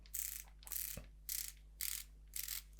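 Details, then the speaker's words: Ratiozero geared CVT prototype for a bicycle, output turned by hand: bursts of fast fine pawl clicking over a low hum from the one-way ratchet that stops the output driving the input shaft; normal freewheeling. "this is actually a one-way ratcheting mechanism inside of these parts and what it does does is that it prevents the output shaft from acting on the input"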